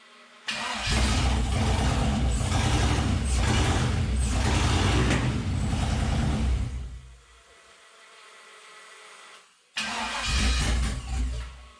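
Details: '72 Toyota FJ40 Land Cruiser with swapped 4.8L LS V8, first start on a weak jumper pack after getting all eight cylinders firing: cranks, catches into a rough, even idle, dies, then restarts.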